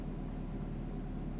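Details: Electric fan motor running smoothly with a steady low hum and faint mains buzz after repair; faults were a failed capacitor and a blown thermal fuse.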